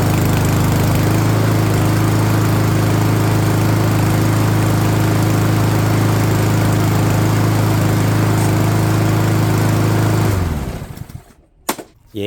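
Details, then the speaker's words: MTD Powermore 139cc walk-behind mower, started on choke after a spring tune-up (new spark plug and air filter, before oil change); small single-cylinder engine runs steady and even at a fast beat, then cuts out, working perfectly; normal running. "sounds like she's working perfect."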